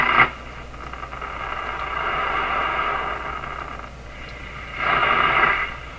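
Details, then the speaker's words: Canadian Philco 409 (46-350) portable tube radio, restored and in its cabinet, first power-up before final alignment: thin, hissy, distorted station audio drifting in and out of noise. A large alignment problem is suspected, and the dial pointer may be off. "so I think it's a huge alignment problem the other thing is the pointer may be way off here"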